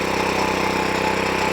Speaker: The machine runs, but it just won't vibrate. So let's turn it on. It might even start because I haven't long had it running. And then let's give it a pulse, see what it do. So there you go. Runs, but no vibration.